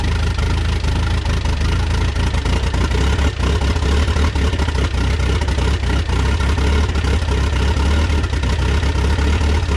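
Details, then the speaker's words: Rebuilt Mitsubishi 4D55T diesel in Dodge Raider/Montero, totally cold start after lots of glow plug: uneven stumbling low chug with dropped beats and white smoke; misfire from air in fuel lines from slightly leaking injectors, two and three worst. "so there you have it that's a cold start it actually started pretty easy but you can see it's still misfiring a little bit because it's cold it has a little bit of air in the line"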